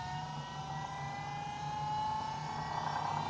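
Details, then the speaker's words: Holden Astra electric power steering pump in an AU Falcon skid car, powered directly from the battery, car raised: steady electric whine climbing slightly in pitch over a low pulsing hum; power steering seems to work, no leaking. "Got power steering, I think. No leaking, which is a plus. I think it's working."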